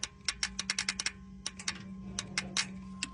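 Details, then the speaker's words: 1995 GMC with no spark and no injector pulse, engine off: test light on positive, injector circuit scratch-tested. Crisp, uneven ticks in short bursts; injector clicks and works. "test light hooked up to positive we're going to scratch test so you hear the injector's"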